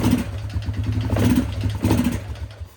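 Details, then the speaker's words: Yamaha Grizzly 600 ATV after carburetor jetting was corrected; rough single-cylinder idle with hollow clatter over the low thump, barely taking throttle, a bit more on choke; valve clearance in spec; piston slap. "not taking much throttle. That engine sounds a little noisy. Takes more throttle when the choke's applied, but still not much. Something up there doesn't sound too good."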